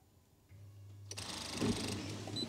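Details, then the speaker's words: VW Transporter diesel with 3,500 miles, misfuelled with petrol and run until it stopped. With the ignition on, a faint steady electric hum runs briefly before a click from the flat battery, showing the fuel pump is priming normally. "now the battery's knacked I'm fully aware of that but before it clicked did you hear the fuel pump Prime"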